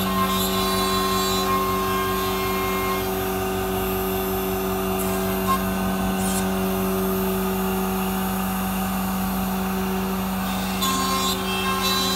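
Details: MultiCam 3000 series 3-204 5x10 CNC router with a 5.5 HP Colombo spindle (32,000 max rpm), 8-position tool changer, vacuum table, new orange hose and dust hood, cutting at high speed. Steady spindle hum, no chatter; normal, smooth cutting.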